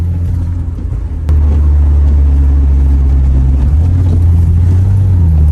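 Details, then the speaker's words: 2011 Infiniti G37 driving on a wet road: deep steady droning hum rising with road speed; worn wheel hub bearing, hubs and upper control arms to be replaced — wheel bearing hum. "I don't know if you guys can hear that it should be pretty uh pretty audible you should be able to hear that it's going like that's your first sign you need a wheel hug"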